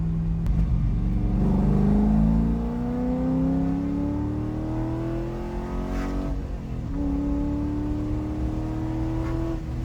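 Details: C5 Corvette with a BTR Stage 3 cam on a remote tune via HP Tuners, logging wide-open-throttle pulls: the note climbs cleanly, drops at a shift and rises again. It pulls strong and smooth.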